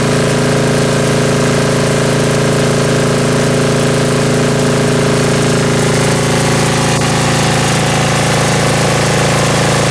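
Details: Ingersoll-Rand MC-2A diesel air compressor (glow plug) after tune-up with new oil, filters and oil pressure gauge, unrun since October: steady even idle drone, uniform firing, no knocks or misses; normal idle.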